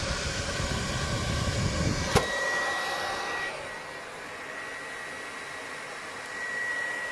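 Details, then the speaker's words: PlayStation 4 overheating: loud rushing fan roaring like a vacuum cleaner, easing after a click. "peki duyabiliyorsunuz Tanrım aynı elektrik süpürgesi gibi çalışıyor"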